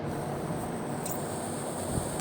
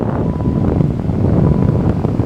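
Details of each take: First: Vacuum check valve canister off the brake booster, behind HVAC blend doors switching to defrost on acceleration: steady soft hiss as air is sucked straight through the removed valve; leaking vacuum check valve. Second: Car converted from R12 to R134a with a repaired vacuum line off the brake booster, microphone in the dash vent, engine revved to 3,000 rpm: a steady rush of air keeps coming from the vent without switching to defrost; vacuum mode control holding.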